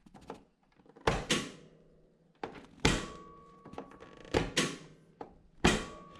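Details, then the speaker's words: Toro TimeCutter zero-turn mower with a no-start fault, key on and PTO switch pulled up: sharp clicks and thunks heard from the rear, indicating a good PTO switch. "That click comes from the back. So that's telling me that the PTO switch should be good."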